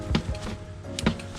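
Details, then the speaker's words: Mountain bike front fork unserviced for about three years (bike bought October 2019): two dull hollow clunks as the fork compresses; fork feels sticky early in its travel, then smooth; service suspected needed. "hear that like clunk noise"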